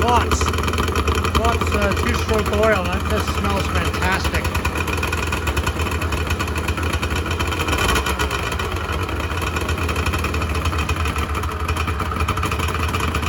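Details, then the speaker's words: 1986 Honda NS400R 400cc two-stroke triple kicked over after 11 months unused, fan cooling the radiator; catches, raspy uneven idle steadies as the cylinders pick up; sound start, oil light on (owner suspects oil level sensor connection). "typically what happens that you'll see I'm hoping you see is that uh it'll fire on one cylinder and then the second ceiling will kick in and then the third cylinder will kick in and then it'll start to it'll start it's uh Harmony of triple pipes popping and squeaking and making all the great two-stroke noises that we all love"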